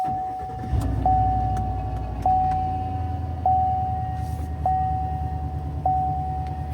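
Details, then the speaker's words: 2020 Chevrolet Silverado 5.3 V8, about 54,000 miles, electric power steering, sudden onset: steady high whine swelling louder with rpm as engine is blipped; failing idler pulley bearing. "I don't know if you can hear that or not, but it definitely gets louder, higher the RPM."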